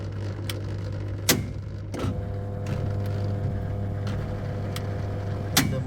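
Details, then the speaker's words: LG 7 kg turbo drum top-loading washer on spin, pulsator turns but drum doesn't: steady low motor hum with sharp clunks as the drain motor/clutch actuator catches and suddenly releases; faulty drain motor, fixed by replacement. "you can understand the sound coming from where this one this clutch assemble this one and from the drain motor it's uh catching and again suddenly releasing that's mean it's it's gone already"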